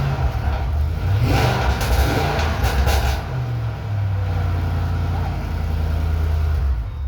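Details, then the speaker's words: 2007 Ford Mustang running after the tire was put back on; settles into a steady low rumble, a brief rev, then an even idle with no knocks: normal running. "Well, start her up. That way they can at least hear it. They haven't even heard the Mustang run."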